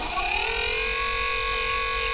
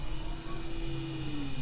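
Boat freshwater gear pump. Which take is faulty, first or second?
first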